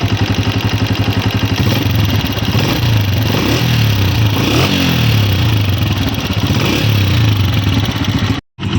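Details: New 2026 Honda CG 125 motorcycle at steady idle, before repair: light, quick ticking of roughly four per second over the engine thump, typical of loose tappet valve clearance.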